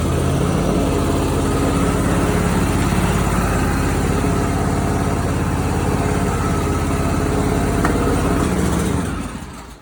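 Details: Simplicity Prestige mower with 27hp Briggs & Stratton V-twin and original Nikki carburetor, before replacement with a new aftermarket carb: uneven lumpy beat with occasional sharp pops, then stalls; backfiring and popping blamed on faulty carburetor.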